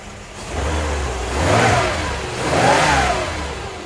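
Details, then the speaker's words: Mercedes C126 during misfire repair, air cleaner off: two clean throttle blips then steady, smooth idle with no stumble; sounds better than before. "but that that sounds better let's let's give it a second I'll check back in and let it idle for a while so it's still nice and smooth"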